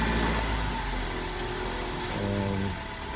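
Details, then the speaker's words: 2013 Ford Focus started on a jump box at auction: even, smooth low idle hum with no knocks or ticks, slight pitch shifts while being moved; engine sounds healthy. "engine sound really good on this one as you can hear"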